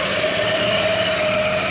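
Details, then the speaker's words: Yamaha NMAX scooter after repair of strange engine noise and general service, throttle body refitted: smooth steady idle, even hum with no knocking or ticking; engine running healthy. "então levamos o corpo de injeção e ligou a moto o barulhinho redondo né sem programa"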